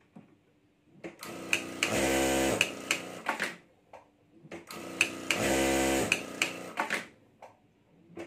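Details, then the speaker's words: Sewing machine after repair, test stitching: smooth bursts of rapid, even needle strokes with clean motor hum between stops, no knock or grind; fault fixed and machine sewing properly. "[संगीत] तो हमारा machine सही काम कर रहा है"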